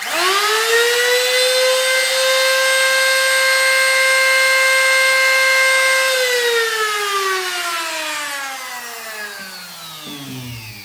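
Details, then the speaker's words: Old wood router (tupia) at full speed: a piercing, steady high whine that sags in pitch as it spins down; the bearing is starting to loosen, making it louder than a new router. "o som que eu falei mas um pouco excessivo em relação ao tupia nova por assim dizer que ela tá começando a folgar o rolamento tá mas de um modo geral barulho é esse mesmo é um barulho bem chato mesmo"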